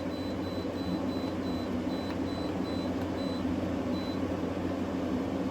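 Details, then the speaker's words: New GE 10,000 BTU window AC (AWFS10WWL) on cool as fan speed is changed: soft, even fan hum with short control beeps; compressor so quiet owner first thought it wasn't working, yet air comes out almost ice cold; normal running. "Uh, I was thought it wasn't working there for a minute cuz I couldn't hear the compressor, but now I feel the air is almost ice cold coming out of there."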